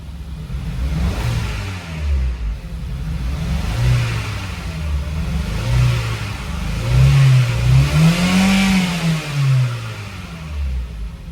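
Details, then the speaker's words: Petrol engine with a suspected blown head gasket, about half an hour after adding head gasket sealer, revved: uneven stumbling low rumble, still misfiring with smoke; the sealer has not fixed it. "It's still misfiring. [Music] I mean the smoke. You hear it? [Applause] It's misfiring."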